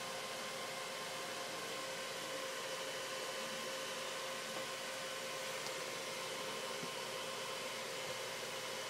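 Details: Dell XPS 630 desktop at power-on: steady loud whoosh of air with a faint constant tone that never drops or settles, and Windows doesn't load; fan running constantly at full speed, no boot.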